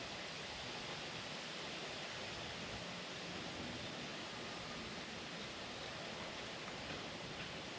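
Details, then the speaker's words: Refilling a 1 lb propane cylinder from a larger tank turned upside down so liquid flows: a steady, even hiss of normal transfer that stops when the bottle is full. "Now, as you can probably hear that hissing there, when the hissing stops, then we'll know the bottle is"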